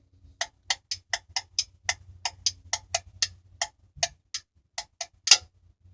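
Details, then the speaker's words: Refrigerator that failed to cool, defrost timer turned with a screwdriver: light quick ratcheting ticks ending in one sharper click as the contacts close to power the defrost heaters; normal operation, timer good. "when this thing hits defrost mode a set of context will close that allow the defrost heaters to work I want you to listen this is normal operation clicking or more operation clicking"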